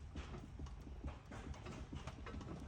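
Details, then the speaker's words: 1998 Toyota Celsior (JDM Lexus LS), sitting and non-starting, during inspection. Uneven hollow clicks, about four a second, come as the wheel is shaken by hand, from slight play in a worn suspension joint. "can hear it clicking. So it's not that bad, but it's a slightly movement."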